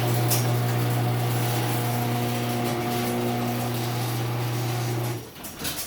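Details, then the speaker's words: LiftMaster 3265M garage door opener, final run: steady low hum with a clattering, rumbling rattle throughout travel, stopping with a clunk. Noisy metal door rollers. "all right we'll shut this one that's it metal rollers make so much"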